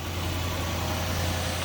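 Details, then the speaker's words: Auction-bought L322 Range Rover with 114,000 miles, first start at the shop: a steady, even low hum at idle with no knocks, ticks or misses, sounding healthy. "all right let's see if it starts and what it sounds like I'll hold the camera out oh that sounded good sounded really good"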